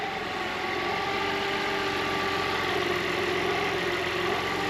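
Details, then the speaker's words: Audi A4 B5 2.4 V6 163 hp, 320,000 km, first run after timing belt work, with no coolant so kept brief, listening to tensioners: even idle, steady dry hiss with faint rubbing under it, no knock; source unknown, owner checking tightness. "y a un petit bruit de truc qui frotte quand même, je sais pas c'est quoi."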